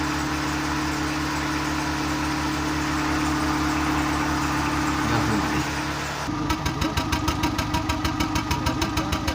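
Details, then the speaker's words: Seat Ibiza 1.4 gasoline after replacing spark plugs and ignition coils (had misfire, ran on three cylinders, code P0304): engine settles into a steady, even idle with no misfire, light regular ticking near the end; belt audible. "Let's start it and see how it goes. The auxiliary belt sounds. Let's see if the motor here. For now it seems round and here."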